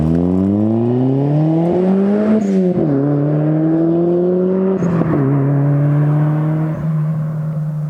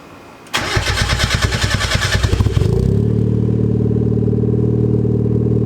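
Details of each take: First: Cold start of a car with a newly installed Spelab performance muffler (2.5-inch inlet, 4-inch outlet), fiber packing not yet broken in: revs climb and fall smoothly with a deep, even drone, no rattles or ticks; healthy exhaust note. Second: so you might have been able to hear that little bit of a rattle in there actually muffler sounds good but it's broken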